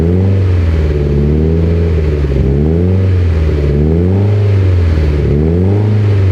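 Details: Mitsubishi Evo X, 800whp build, first start of a fresh engine: deep steady note rising and falling smoothly through light blips, no knocks or rattles; healthy, only wastegate and evap codes logged.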